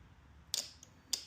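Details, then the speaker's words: 2010 Honda CBR600RR after an oil change, starting to cycle the oil pump: two sharp single clicks about half a second apart with no cranking, then a sudden loud burst; starter clicks but won't turn over and needs a jump. Cause not confirmed. "Hopefully, she just starts up right away and I don't have to play around. Yeah, of course she doesn't."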